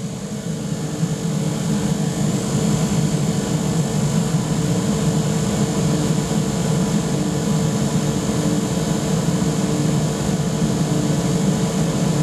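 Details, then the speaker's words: Pot belly stove converted to gravity-fed waste oil burner with small blower, lighting off: steady deep even roar builds as flame catches and air is added; normal startup. "now we're getting that flame in there to fan up quite nicely you can probably he the thing starting to Roar and uh we'll get some flame pretty soon coming out"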